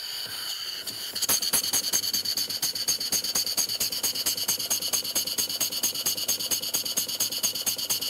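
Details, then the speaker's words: Model steam engine running on air during valve adjustment: sharp steady ticks a bit over two per second with an extra knock from the top; suspected bad nut not sitting square, cause unconfirmed. "but now I'm hearing a knocking up here we're hearing that before let me back it off back off a little bit"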